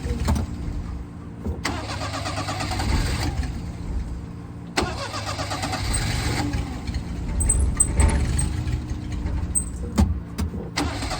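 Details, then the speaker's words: 1988 Daihatsu Hijet carbureted mini truck, sat for years, hot, pedal floored: repeated long cranking bursts, almost catching then dying; hard hot restart, its longstanding problem. "before that was the big issue if I could get it running once it been running for a while it wouldn't restart so let's see if it restart now"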